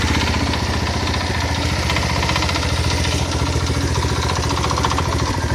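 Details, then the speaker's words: Single-cylinder engine on a generator, idling after the cover was reseated, with a hard even thump each firing and loose clatter; knock vanishes with slight throttle or electrical load; owner suspects crankshaft bearings worn by a misaligned cover. "появился более свободный ход появился стук двигателя на холостом ходу чуть нагрузку даешь и либо газу либо я просто свет включаю на генераторе и звук пропадает"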